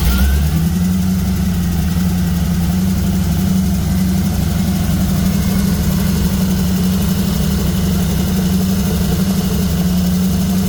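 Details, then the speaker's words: 1936 Oldsmobile engine running for the first time in 25+ years: a steady raised hum, idling too fast, so the carburetor idle needs slowing down. "Got to run the carburetor again. That's all right. >> I got to slow the carburetor down."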